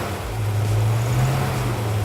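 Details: El Camino with new Goodwrench small-block crate V8 during cam break-in: steady deep drone at fast idle keeping oil to lifters, even and smooth with no lifter clatter or ticking; engine sounds healthy.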